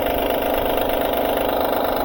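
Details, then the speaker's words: 2012 Honda Pilot at idle: a light, fast rattle from a loose timing belt flapping, caused by a defective timing belt tensioner. "So, that's why that timing belt is flapping causing that rattling noise."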